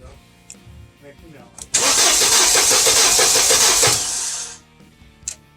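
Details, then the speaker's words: Mercedes SLK230 cranks steadily for nearly three seconds without catching; one ignition coil is bad and sends no spark out its other side, possibly a wire fault, leaving a cylinder dead. "So that coil is bad. It's not sending any spark out this other side."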